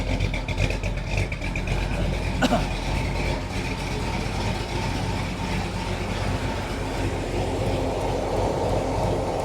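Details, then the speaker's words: 1976 Chevy Nova with new headers and exhaust, first start after work, running rich and smoking off headers: rough, uneven idle that stumbles, dead miss on the right side; one cylinder not firing. "Open out the right side. Got a dead miss over there."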